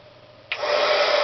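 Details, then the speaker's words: HG-300D heat gun, about 5–6 years old, two speeds, already warmed up, sometimes fails to start first try: rush of air with a steady mid-pitched whine above it. Owner suspects a mechanical motor fault, unconfirmed. "I'll hold this up near the camera and we'll see if you can hear the kind of whiney nasur stretchiness of the motor above the normal loud blowing"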